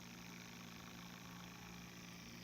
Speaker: and listen you will hear a whirring sound and a second chirping and a beep the pump will turn on and the lights will begin to blink on and off every second for about a minute